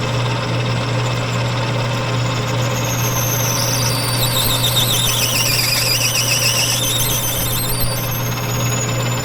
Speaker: that squealing noise was this thing packing up with brass. When you hear that, you better back it out or you'll break your bit.